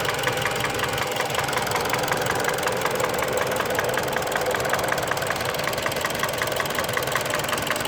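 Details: Mitsubishi Lancer X 4B10 1.8 engine, knock only when warm at idle: a steady light ticking knock, roughly two to three a second, riding over the engine; source unclear.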